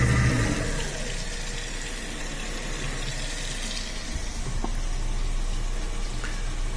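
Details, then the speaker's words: Newly replaced kitchen garbage disposal running with water on after leak test: even low motor hum, no grinding or rattling, no leaks; running smoothly. "that sounds really good and also still no leaks that looks great"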